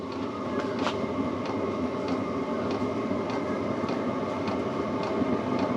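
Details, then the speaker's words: New Chinese diesel heater on its first test start: steady fan and burner roar with the fuel pump ticking about every half second, though little heat yet. "oh i can hear the fuel pump that ticking sand still not hitting the exhaust"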